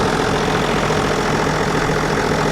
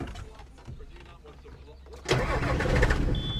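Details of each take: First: John Deere 7420 idling after Stanadyne DE10 injection pump replacement for ECU 1076 fault, leak underneath fixed and no longer dripping: steady, even diesel idle with smooth low rumble, no knocks, misses or hunting; normal, repair done. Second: John Deere 7420 with old Stanadyne DE10 pump and stored ECU 1076 fault, before pump replacement: quiet cranking, then diesel catches with one lumpy chug before settling to steadier idle; rough start, pump suspected.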